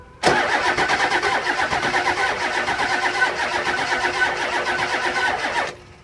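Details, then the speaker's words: 2001 Ford 7.3 Powerstroke diesel, hard start and rough running when cold, no-start below 50°F. Starter cranks with an uneven, lurching beat and brief flare-up as cylinders pull unevenly; base engine low on compression. "this one has a base engine problem with a compression create boost"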